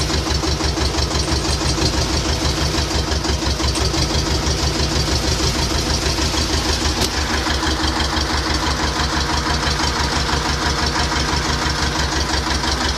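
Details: T-25 tractor diesel after repair: even idle with steady regular knocking about three beats per second, no misses or extra noises; healthy-running engine.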